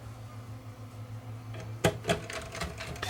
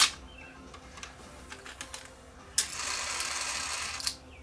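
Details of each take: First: Sony DTC700 DAT recorder, top removed, after refitting the mode switch with gears aligned: faint motor hum, light clicks and whirring as tape threads smoothly, no grinding or slipping; normal tape loading. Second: Sony DTC700 DAT recorder, after freeing a gummed mechanism and refitting its washers: the mechanism clicks, then a strained, slow, labored whir on rewind. The tape transport is still dragging a bit.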